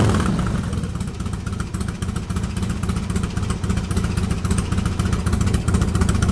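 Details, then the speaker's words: Harley-Davidson Twin Cam started from cold after sitting most of the day, enricher off, after rejetting the carburetor pilot jet from 48 to 50 to cure lean running; deep lumpy beat holds steady cold idle without stumbling or popping, sounds good. "okay this thing needs to be taken on a test ride but personally that sounded pretty well to me"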